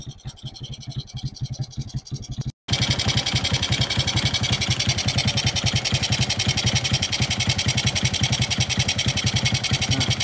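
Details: Four-stroke Smash motorcycle that was hard to start, needing the carburettor closed to start: after loosening an over-tight part called the KP, it starts easily and settles from a brief cutout into a clean, steady idle of about three to four pops a second.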